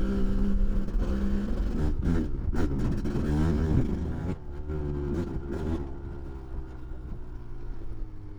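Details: Kawasaki KDX 200 two-stroke after new piston/top end, break-in ride with small blips in second and third then shifting through the gears toward wide open; crisp blips, pulls cleanly without misfire or rattle. Normal running.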